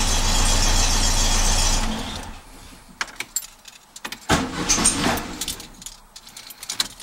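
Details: 1967 Beetle after a pinched starter signal wire was repaired with a new connector and heat shrink: the engine catches and runs steady and even for a couple of seconds with no stumble or miss, then shuts off cleanly. Healthy.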